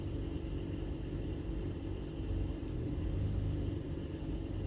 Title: Mazda 3 2008 2.0l Rough idle p2177